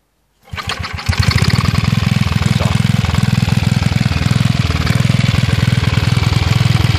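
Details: Villiers Mk 12 stationary engine running on gas: it misfires on the first pull, then catches after a few stumbles and settles into a steady, even thump of three to four beats a second, running healthy.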